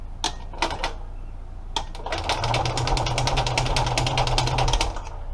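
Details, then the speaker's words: Kohler generator engine on an 845 cranking-amp battery, carburetor not hooked up; sluggish, uneven chugging of the starter about two or three beats a second, dragging and never catching: slow cranking. "that to turn over. Pretty slow going. This is 845 cranking amp. Yeah, cranking amp, so it should be more than enough."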